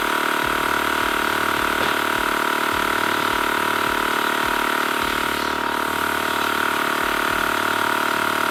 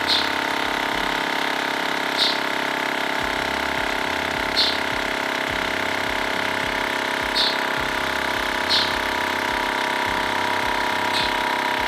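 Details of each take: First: TACKLIFE M1 tire inflator on a car tire, 35 psi target: steady pumping thump with a constant hiss behind it; air escapes at the hose chuck, so the tire loses more air than is pumped in. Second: TACKLIFE M1 portable tire inflator pumping a bike tire toward a 60 psi target; steady even buzzing drone, screwed-on valve connector sealed with no hissing air leak. Normal compressor operation.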